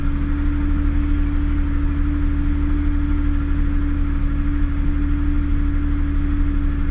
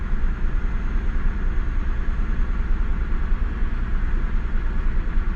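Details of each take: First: Cold-start fast idle on a Mazda Bravo B4000 that still warming up, settling steady and smooth with an even hum, just over normal idle; owner suspects the idle air control valve plunger isn't fully shutting, before replacing it. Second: Mazda Bravo B4000, cold start, still warming up: steady, even idle sitting slightly fast at just over normal, no misses or knocks; suspected idle control valve (automatic choke) plunger not fully shutting, valve to be replaced; normally idles 1,750 then drops to 1,000.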